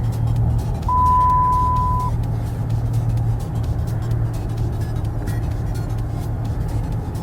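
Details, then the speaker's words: Copart auction car (body damage), just started: smooth, steady low idle with no strange ticks or knocks under a brief chime; motor sounds healthy for the most part before an automatic transmission test. "I mean all in all it sounds pretty good no strange tics or anything like that I mean it's it sounds healthy for the most part"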